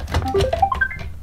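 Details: iRobot Roomba 650 after a teardown and replacement of the AC charging jack for not charging on or sensing the dock: quick run of clear beeps climbing in pitch; normal power-on chime.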